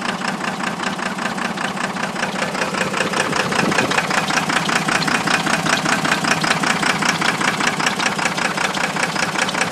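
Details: 1993 first-gen Cummins diesel idling with a steady, regular stumble (dead miss); blown head gasket with nickel-size hole between cylinders #1 and #2 killing cylinder 2.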